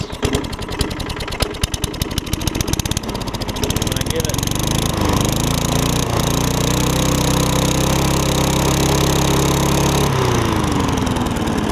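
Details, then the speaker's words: Craftsman mower with Tecumseh Eager 1 engine after a carb and gas tank swap: ragged, popping low-speed running that picks up when the throttle is opened manually. It is not reaching governed speed; something suspected hooked up backwards. "as you can hear in a run the problem is i think whoever had this originally hooked it up backwards because"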